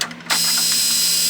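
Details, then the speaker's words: Toyota AE86 Trueno after body work and welding, battery reconnected showing 12.4 V: turning the key gives only a steady fuel-pump hum with no starter click or cranking. Owner suspects a shorted battery or another fault, unconfirmed. "But as soon as you try to turn it over, all I hear is a fuel pump run, and it's just dead. Doesn't try to turn over anything."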